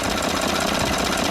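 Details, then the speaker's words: 2013 Ford F-150 3.5L EcoBoost, high-pressure fuel pump not replaced, now much quieter than the earlier loud rattle/knock: fast even light ticking over steady idle; normal direct-injection pump tick. "as you can tell it's a lot quieter now that little ticking that's normal"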